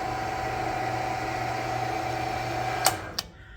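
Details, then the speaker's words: Mill motor on a small combination lathe/mill that would not turn after sitting long with dried-up grease, now cleaned and relubricated: smooth, even hum and steady whine with no knocks or rubbing, winding down cleanly. It runs normally. "so I cleaned up everything that I could get to and kind of reled the thing and it not only runs it actually sounds like decent quality"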